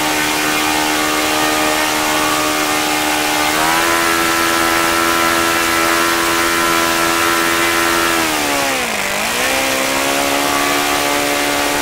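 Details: OS FS-95V four-stroke glow engine, rebuilt, on 15% four-stroke fuel, 14x6 prop and OS F plug, hand-started warm. A high, buzzy note holds steady, rises, then dips and recovers cleanly on throttle, a normal smooth run.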